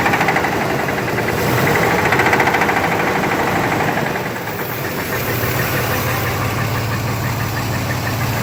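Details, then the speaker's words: 1991 Chevy S-10 V6, just bought, idling: rapid fairly even knock, three or four hits a second; owner unsure whether flywheel or engine, source not pinned down. "it's my 91 chevy s-10 it has a v6 engine and i just bought it got steel on 300 for this has a knocking noise on"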